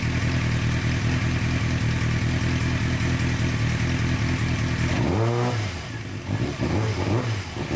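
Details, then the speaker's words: 2006-2007 Suzuki GSX-R 600, long stored, after fixing the servo connector, warmed to about 130 degrees: steady idle, then a quick rev rising and falling cleanly without cutting out; slight remaining stumble but revving healthy. "so we still got a little bug but uh definitely not cutting out like it was so that servo uh fixed it there"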